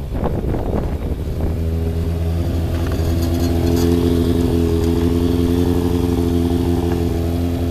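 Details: Freshly rebuilt Thunderace engine at its initial start-up, with water leaks still present: after a rough catch it settles into a smooth, firm, steady idle. Runs clean and healthy; normal running.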